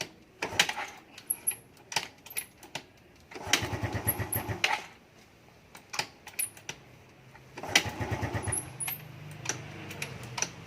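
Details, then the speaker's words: Carbureted Yamaha Fino scooter, hard to start only in the morning (about 9 a.m.), starts easily later in the day: several short starter bursts with no catch, then finally picks up into a low idle; hard cold start. "อ่าYamahaFenoรุ่นคาบูนะครับสตาร์ทยากตอนเช้านะครับแต่ว่าถ้าติดแล้วเนี่ยนะกลางวันเนี่ยมันก็สตาร์ทง่ายนะครับจะเป็นเฉพาะช่วงเช้านะ"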